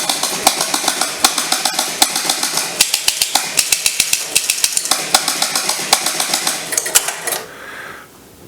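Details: 1975 Gottlieb Soccer electromechanical pinball machine after reassembly, start button pressed: rapid run of sharp relay clacks, roughly 77 a minute, then settling quiet; a healthy game start-up reset cycle.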